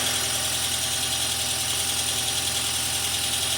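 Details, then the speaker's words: 2002 VW Passat 1.8T wagon after an engine swap, the car having sat a while: even idle with a light top-end clatter, expected to quiet down; oil change still pending. Engine running smoothly, no misses or heavy knock. "Most of that clacking will that'll quiet up. The car had sat for a while."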